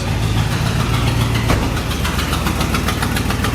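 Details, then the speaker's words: 1972 International 1110 truck after refitting the carburetor with the correct metering block gasket and new consumable parts: slow, lumpy but steady, even very low idle with no knock or miss; finally idling properly, just set low. "Oh man, look at that, finally. Oh, fantastic. Wow, that's very low idle, but finally."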